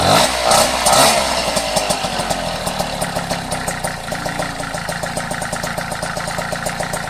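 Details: Vespa Ciao 43 Autisa two-stroke moped at idle: a quick, even light ticking that reportedly disappears when riding away. Idle tick, source not yet pinned down.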